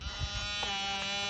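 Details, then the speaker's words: Garrett Pro-Pointer AT pinpointer set to vibration-only mode: after a few handling bumps, a steady even buzz with no audio tone. "if i press it again it goes to vibration it's on the lowest on the second that's the highest and all you'll hear you won't hear a word or a thing of this"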